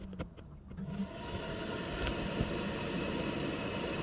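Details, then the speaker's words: VW T4 1.9 TD cooling fans tested by bridging the thermostatic switch terminals with wire, ignition off: after a second of clatter, an even steady whoosh with no ticking or grinding; fan motor running normally. "i apologize for the shaking but you can hear the fan running now remove the terminal fan goes on back on"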